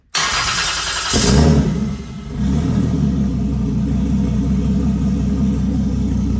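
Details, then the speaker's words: Toyota 2JZ on an ECUMaster EMU Black running full sequential fuel and spark from the distributor, warmed up a little: cranks and catches at once, free-revs cleanly, then settles to a smooth idle with no misfire. "okay guys so as you can see um after warming up a little bit it it was free revving really nicely"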